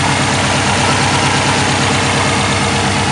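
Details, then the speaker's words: Subaru WRX after installing a Twisted Motion 20G top-mount turbo (OEM water lines bypassed, base map): loud, steady, even idle with no ticking, rattle or exhaust leaks; normal idle after install. "so she started up. Everything sounds nice, no exhaust leaks or anything."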